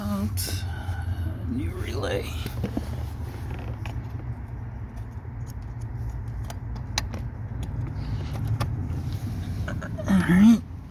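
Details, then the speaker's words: 2020 Honda HR-V with random crank-no-start after short stops, after swapping the failed Mitsuba fuel pump relay for an OEM Denso one: starts and holds a steady, even low idle with a few clicks and rattles. "let's see there you go so I guess it was the relay so if you're having that problem with your Honda HRV it's the fuel pump relay"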